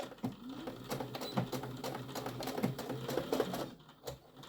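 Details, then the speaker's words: Sewing machine sewing the bottom seam of a tote bag: quick, light ticking over the stitching rhythm with occasional sharper clicks. The owner says the machine clicks when it is dusty inside and needs a dusting. "I have to give my machine a dusting on the inside it's my machine kind of makes that clicking sound when it gets a Dusty"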